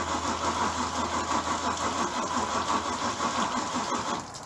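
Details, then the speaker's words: Bayliner boat V8 on a cold night during winterizing: sluggish, labored cranking at about three turns per second with no catch; dead battery and a starter that sounds to be failing, eventually ran with fuel added. "Alright, so we had a dead battery, and it sounds like the starter's going out, but we finally got it running."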